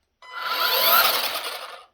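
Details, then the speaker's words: Ryobi RY40250VNM cordless string trimmer (Expand-It 15") briefly spun up: harsh high raspy motor whine with a gritty grinding edge; owner suspects cheap bearings, source unknown. "You can hear the whine of the motor, but then also there's it's like a grinding noise almost, like they use really cheap bearings or something."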